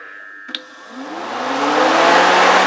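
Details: BMW 3 Series radiator fan tested on the battery after rewiring: after a click, a smooth whir rises in pitch over about two seconds and settles steady, running properly.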